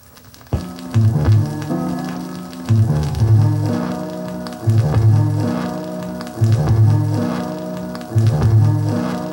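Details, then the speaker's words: Sony PS-LX300 belt-drive automatic turntable playing a 12-inch record at 33 rpm, with a complaint of skipping and poor sound. The music jumps back to the same passage about every two seconds and sounds muddy; the stylus and output setting are suspected. "well it it does appear to be sticking it just doesn't play doesn't sound very good either what's going on here"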